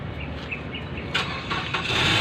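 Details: Mazda Tribute / Ford Escape crank no start: the starter cranks with uneven whirring bursts but the engine never catches; failed fuel pump, fixed by replacing the fuel pump assembly.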